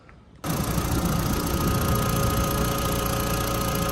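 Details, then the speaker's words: Audi TT Mk1 Quattro petrol engine started after replacing diverter valve and PCV system, fitting catch can and securing MAF connector: catches after a short pause and settles into a steady, even idle. "So that is ticking over nicely."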